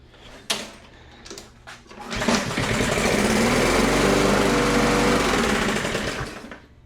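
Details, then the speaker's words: Toro Recycler mower, Briggs & Stratton 163cc, after the spark plug boot was replaced: it fires up and runs steady with a light, quick tick about four times a second, from loose valve lash. The owner hears it as knocking, and oil is leaking again. "And then I'll also let ChatGPT know that it sounds kind of like she's knocking a little bit."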